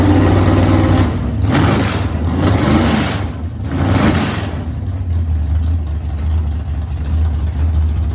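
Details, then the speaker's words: 496 big-block V8 at its first start-up, still probably needing more tuning. The deep throaty V8 is blipped twice with sharp rising roars, then settles into a heavy lumpy idle. This is a normal cammed idle and it sounds good. "That motherfucker sound like one of your race cars, Kenny. It sounds good now."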